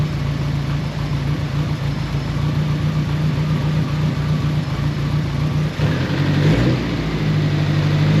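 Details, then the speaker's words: Nissan GTI-R rebuilt engine just reinstalled runs with a rough, uneven low note that stumbles on each throttle press, also slow cranking; owner suspects TPS set wrong or a dirty ground, with timing still to be checked. Not confirmed. "Well, it runs. So, that's a start. Something's not right, though. Every time I press the throttle, maybe TPS is set wrong."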